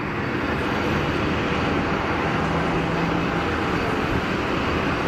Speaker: It's got the rat you see the rats that's why it's making the noise because the rats deployed you see that on the nose that's what the noise was interesting